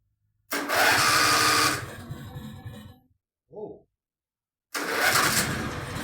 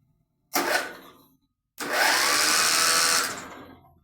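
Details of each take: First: Contax tractor engine revived, penetrant down the cylinders, throttle shut: small single-cylinder engine catches and runs with a shrill, wavering squeak over it; the slightly rusted electromagnetic clutch underneath is squealing. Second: Contax tractor engine being revived, spark plug out for a spark test: quick, smooth whirring spin with no heavy compression beats; starter turns the engine freely and strongly, and a spectacular spark follows.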